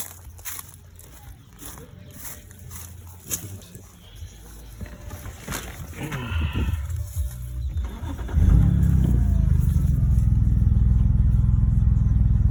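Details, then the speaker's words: 2011 BMW 328i six-cylinder still idling roughly with an uneven pulse of about three beats a second after the battery was disconnected and the ignition coils were changed. Owner suspects the solenoids. "Still giving me that rough idle. this point, it might be the solenoid that's right here."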